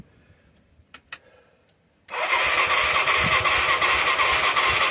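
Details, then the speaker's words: Mid-1980s Yamaha YFM200 Moto-4 quad, first start attempt after engine seemed seized then broke loose: hard, even chuffing about three beats per second, never catches; small spark, seemingly not getting fuel, possibly low compression. "even sounds good doesn't it you hear the if we had something to spray in it would start it right freaking now baby"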